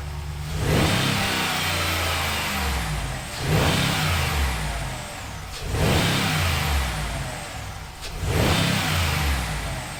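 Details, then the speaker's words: Ram Rebel Hemi V8 just fitted with a Corsa PowerCore closed-box dry-filter intake replacing the factory intake: first start, then four clean, even, throaty revs with no knocks or misses; normal start and revving. "the second thing is i was definitely looking for the sound improvement so with the stock intake they're designed in such a way to really quiet down the truck as much as possible"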